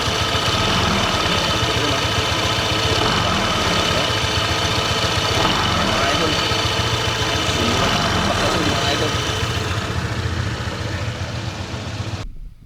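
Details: Honda PCX 160 idling before slider piece replacement: rough, rattly clatter from the CVT side over the engine beat, fading as it shuts off; CVT noise.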